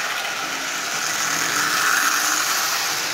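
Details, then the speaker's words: Marx 999 toy locomotive, repainted shell, with a double reduction motor built from junk parts (previously dead, contactor missing, open E-unit coil bypassed): steady, even high-pitched whir, no knocks or rough patches; runs well though not perfect. "it's running well no doubt about that so a marks nine nine nine made completely out of junked part is it perfect nope sure isn't far from it"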